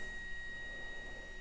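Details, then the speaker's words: NB2 Mazda Miata, new GTR2 LED headlight bulb replacing halogen, fan audible immediately when switched on: thin, steady high-pitched whine at constant pitch from the bulb's small cooling fan; normal LED headlight cooling fan. "All right, let's do it. I can hear the fan immediately."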